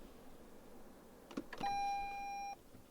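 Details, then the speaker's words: 2022 Toyota Camry Hybrid XSE, switched off in the garage: quiet, then a soft click and brief whir, then a single steady beep of about a second; the normal shutdown chime, nothing else heard. "And yeah, I mean, that is literally all the car does. So it's really quiet. So it's one thing you got to get used to as a hybrid."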